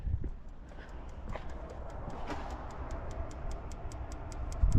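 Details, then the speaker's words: Old Vauxhall/Saab engine on a spark tester: faint crisp ticking, a pathetic weak spark on cylinders three and six while two and five spark strongly. Most likely the coil pack, unless the leads are at fault. "yeah where's the spark I can hear it ticking but that is pathetic"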